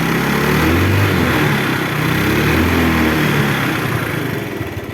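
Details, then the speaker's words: 2005 Mio Sporty 5TL scooter idling after electric start: a small single-cylinder engine putters at an even, steady pace with no knocking or rattling, and no smoke at all. A healthy idle. "Ini kondisi mesin saat hidup ya, tidak ada ngebul sedikit pun."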